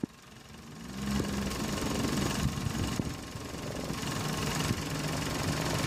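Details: Running engine heard through a selfie stick and knuckle to the phone mic: a busy, uneven rattle near the radiator side, previously diagnosed as a loose radiator fan housing.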